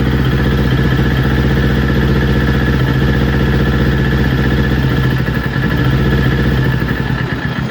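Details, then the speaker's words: Newly built Kawasaki Ninja, before coil pack replacement: started perfectly cold, but idle pulses unevenly and bogs down as it warms, rev counter dropping untouched; faulty ignition coil suspected. "And that's not me. That's not me. Starting to bog down, guys. Soon as she starts warming up."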